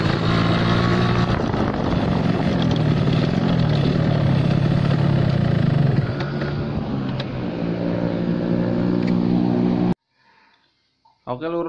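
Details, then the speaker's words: Yamaha RX King two-stroke with too-big pilot jet, fuel-heavy at low rpm: burbling exhaust stutters unevenly, about four beats a second, as throttle opens, also while riding; rich low-speed mixture. "Hai kondisi atau gejala saat motor atau karburator pilotnya terlalu besar ya atau terlalu boros Tuban bakarnya di putaran bawah ya"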